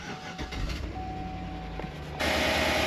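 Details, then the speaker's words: Vehicle with 260,000 miles, owner reports tick after warm-up and rear main needing redoing: cold start, brief crank then steady idle with no top-end tick yet; oil pump or pickup suspected, not confirmed. "The tick is not really there. Yeah. So I can tell you with 260,000 miles, there's a pretty good chance that that oil pump probably needs to be replaced."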